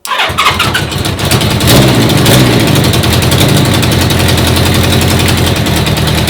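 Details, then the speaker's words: 1980 Honda CB650 four-cylinder carbureted bobber, first start after new carb fuel-line O-rings were fitted. Starter catches, then a rough, uneven, stumbling fast idle once the choke is off. It runs well on choke but lean off it; the carbs draw too much air and need modifying. "When I turned off the choke, the bike really was getting too much fuel. And with the choke on, it's restricting the air, giving it more fuel. So I'm gonna have to go in and modify these carbs because they're just sucking in too much air."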